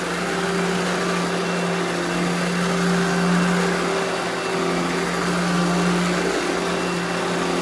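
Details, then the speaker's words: Eureka The Boss Smart Vac upright vacuum, model 4870 type GZ, bought secondhand, belt replaced; switched on for a demo: steady even motor hum, constant tone around 200 Hz, no rattles or surging; normal smooth running. "all right now I'm gonna go ahead and turn this thing on demo it for you guys and you can hear how smooth it runs"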